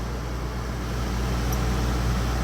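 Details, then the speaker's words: Dometic rooftop air conditioner on a camper trailer believed to be a 2009, a sealed R22 system, just recharged after running low: even, steady compressor and fan hum with no knocking or rattle, blowing cold air again; running normally. "I actually hear the refrigerant running through the coil right now. probably doesn't grab it on the mic here, but it's nice and cold."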